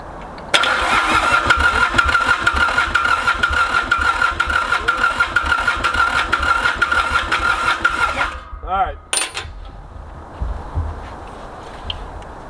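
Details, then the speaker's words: Mitsubishi K3D diesel on a Ransomes Bobcat mower, first start after 9 years, starter getting hot, smoke switching black to white: steady eight-second starter whir that never catches; prolonged cranking, no start. "getting really hot so I need to knock it off who wants to go pretty bad though I can tell"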